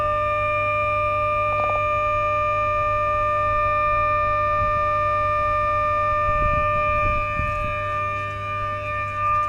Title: 500kV HVDC Smoothing Reactor Humming Sound At HVDC Terminal Station